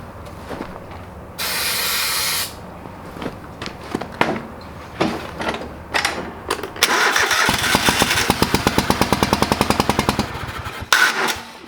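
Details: Old lawn mower's small engine just after a carburetor rebuild, with the bowl needing to fill with fuel. Several short cranking bursts before it catches near seven seconds and chugs unevenly. It fired, but not right up. Hard starting.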